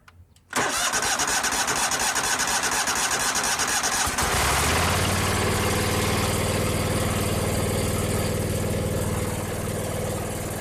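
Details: 2001 Cub Cadet 3184 tractor, Kohler CH18S 18 hp OHV engine, 848 hours, after tune-up and a new voltage regulator (14–15 V shown): starter churns briefly, engine catches at once and settles into a smooth, even idle with no misses or knocks; a normal start.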